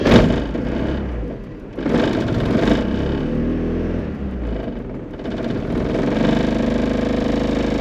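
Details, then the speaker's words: 1994 Mazda Eunos Roadster driving to a compression test, after new plugs and leads: engine pulls unevenly, stumbling and dropping off in bursts; clearly misfiring, cause not yet found. "She's still not running right."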